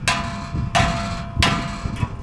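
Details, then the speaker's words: Chevy K10 after a trail ride: three hand strikes on the muffler, each followed by brief tinny ringing rattle inside; owner suspects loose baffling in the muffler, unconfirmed. "I did on the trail, I heard like some rattling around up underneath. The only thing I can figure out is that I think, let me get down so you can hear it, I think I got a muffler that's like baffling's coming loose."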